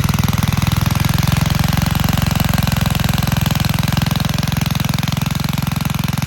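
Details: Vintage Gravely Model L garden tractor with Jenkins overhead-valve conversion, bought at estate auction, running after only cleaning points and adding gas: single cylinder thumping steadily at about three beats a second, even and strong with no misses; healthy.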